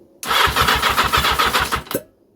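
Brisk, evenly spaced cranking pulses, roughly seven a second for under two seconds; the starter turns the engine over strongly and healthily.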